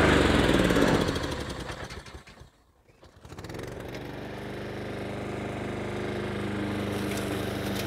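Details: Honda Harmony II HRS216 lawnmower after carburetor service and tune-up, warm restart then throttle to low idle: revs drop, engine dips nearly to stalling, then recovers into a steady, even low idle; running normally.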